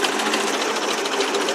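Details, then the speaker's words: 1957 Ford 800 series tractor, never rebuilt, after exhaust system replacement and carburetor adjustment: fast, even putter at lower idle speed, much quieter, no knocks or misses; runs smoothly, with more carburetor work still to do. "Jim's aned with the carburetor a little bit and got it idling a lot better at lower speed so you can hear how much quieter it is now"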